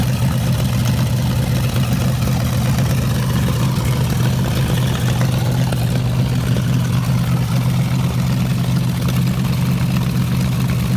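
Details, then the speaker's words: Homebuilt V8 trike, running with the crankcase flushed with diesel after water got into the oil (still milky): steady, low, even rumbling idle with no knocks or ticks. Engine running on diesel instead of motor oil. "it's got lots of diesel in place the oil and I'm gonna fire it up and you're gonna hear what a motor sounds like using diesel instead of motor oil"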